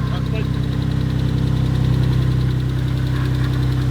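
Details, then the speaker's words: Abandoned Mitsubishi 3000GT VR4 bought with a blown engine, cold idle: steady, fairly even pulsing knock about 210 a minute over low engine drone; owner suspects an engine problem, possibly worse from cold weather, unconfirmed. "cũng có thể là do trời bắt đầu lạnh, bạn biết đấy nên tiếng ồn đó chính xác là những gì tôi nghe thấy trong t anh ấy quay video nên tôi không nhầm ."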